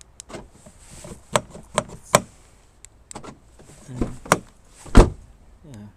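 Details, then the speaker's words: Volkswagen Golf door that wouldn't lock, after fix: crisp separate lock clicks as door locks and unlocks; central locking actuator works normally. "this work it seems to work it seems to work yeah I'm happy yeah let's check it again time open close"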